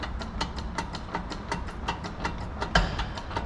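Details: John Deere 7J series tractor (7195) diesel, belt tensioner pulley bearing: rough gritty growl riding over the engine with a steady ticking pulse; worn tensioner pulley bearing, replaced during repair.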